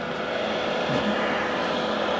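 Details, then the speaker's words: Chinese diesel air heater newly installed in a 2020 Ford Transit van, first power-on with air possibly still in fuel lines: loud steady rushing roar, harsh; exhaust connection loose and leaking, smoke escaping. "oh we did it Loose I'm getting smoked out this is a terrible location for this"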